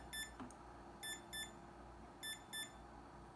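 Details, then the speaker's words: Bantam desktop CNC spindle under power testing, with the motor controller at about 135–156°F: high sharp beeps in quick pairs, about one pair a second, in a quiet room; controller warning alarm, suspected overheating, not confirmed. "e i imagine that's what that beeping means i don't know if you can hear it"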